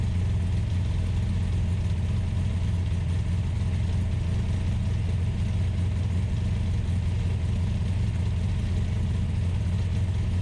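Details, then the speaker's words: Ultima GTR supercar with American V8 warming up after a jumper-pack start: steady deep drone held at a raised idle with no dip or hunt; fans pulling hot air while the temperature gauge read only about 60 degrees. "but it's definitely hot because the fans which work on a switch i found uh were pulling hot air so it was idling high"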